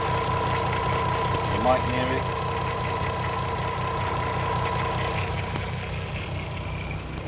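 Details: 2007 (57-reg) VW Golf R32 3.2 V6, 92k miles, idling before a one-hour intake carbon clean: steady drone with a slightly lumpy, uneven pulse. Rough idle from carbon buildup; it runs quieter and smoother after cleaning.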